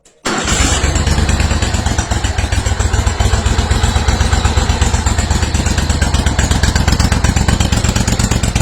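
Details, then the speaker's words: Steiner zero-turn mower, Kohler Command 25 V-twin, after stator, regulator, coil replacement and wiring repair, hydraulics tested: catches almost instantly, steady even low thump with no misses; normal restart after repair. "everything works I just tested the Hydraulics and everything everything's [Music] good little stink bug everywhere starts right back up"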